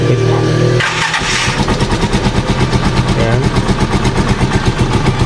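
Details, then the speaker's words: Rusi Chariot 175 trike, older single-cylinder engine, start on Shell Advance oil after switching from a thicker oil that made starting hard: catches first try and settles into a crisp, even idle of about six beats a second. "Hindi siya mahirap i-start sa umaga, unlike nung unang oil natin na medyo makapal, ay mahirap i-start."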